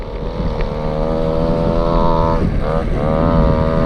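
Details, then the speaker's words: Go-Ped Sport two-stroke unused 15+ years, going wide open with rider pushing to gain speed to clean out the dirty carb: steady buzzy drone with a short dip and recovery under wind noise; running strong and clean. "Alright, we're gonna go wide open. I'm pushing it to help me get to speed."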